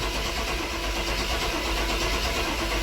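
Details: 1997 GMC Yukon 5.7 L, towed in, supplemental fuel sprayed into intake: starter cranks at a steady even pace, no firing or backfire; crank no start, injectors blocked, spark also in question.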